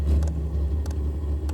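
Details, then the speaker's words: Chinese diesel air heater for Sprinter van, bench test in workshop at startup; fuel pump clicking as it pumps diesel, steady low hum with a few faint clicks; normal startup. "Fuel pump. You can hear it now clicking, and it just showed up on here as it's working."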